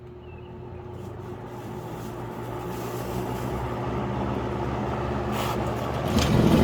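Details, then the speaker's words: 1977 Kmart box fan after restoration, blade refitted on motor's flat spot, switched on to highest speed: steady whoosh building as motor spins up, even airflow, no rattle or rubbing; running normally. "Alright, got the blade on. It's looking good. Now let's turn it on to its highest speed."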